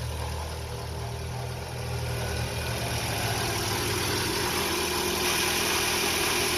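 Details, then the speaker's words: 2006–2012 Toyota RAV4 2.5 four-cylinder idling after new alternator, belt, tensioner and battery; charging 14.5 V, smooth even idle with no squeal or chirp from the belt area; previous noise gone. "New alternator, new battery. Should be charging really good. Let's see. It's in the OK mark. 14.5. Perfect. No more noise."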